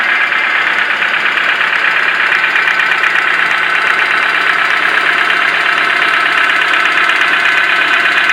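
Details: 4E engine idling with a light, fairly regular knock about three times a second over the running noise; source unknown, owner suspects something catching as it turns.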